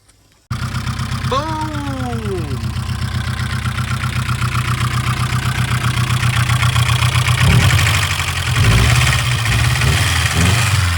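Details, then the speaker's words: Barn-find Nissan 240SX, first run after sitting, running on its own with fuel system fine, smoking earlier (possibly seized pulley or belt): steady low idle with light fast tapping about four per second; owner suspects noisy top end, unconfirmed. "She runs on her own. Fuel system is perfect. Sounds like she's got a noisy top end, but other than that, got the truck off."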